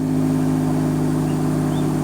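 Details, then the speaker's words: 2013 Dodge Dart 1.4 turbo with P0299 and other boost codes, cold start after reconnecting the battery: steady, smooth idle with an even low hum and no misses, knocks or whistles; the easiest cold start in a while, healthy warm-up. "that was probably the most easy cold start I've heard this thing have in a while"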